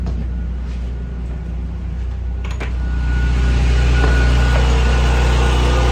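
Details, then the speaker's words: NPS 5500 inverter generator outside RV with two 15,000 BTU air conditioners on, ramping up a little: deep drone swells and settles louder, muffler facing forward; louder than owner's N5500 but normal under heavy load. "But it's definitely louder than my own N5500 running 2 air conditioners. So, and that's with the muffler facing forward."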